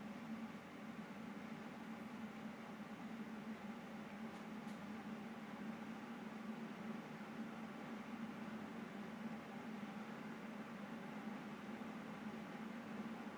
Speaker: ah c'est le ventilateur du processeur c'est le a qui fait du bruit c'est pas graphique